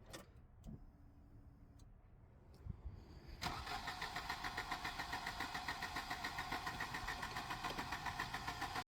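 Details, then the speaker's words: 1988 Volvo 240 with LH2.4 injection during rebuild, fuel pump running: steady starter cranking about 3.5 beats a second, never catching; owner suspects insufficient fuel, possibly fuel distributor needing rebuild. Cranks but no start. "Nothing. Not even a slight tickle. Had a slight tickle then."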